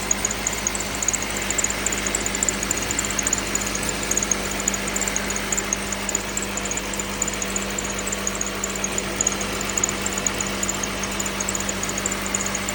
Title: Lexus es350 2010 , V6 3.5L rattle/creak noise at cold start